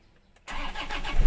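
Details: Toyota Hilux with starter problem from worn carbon brushes and contact points, needing tapping to work: after silence the starter turns over and the engine catches into a rough run.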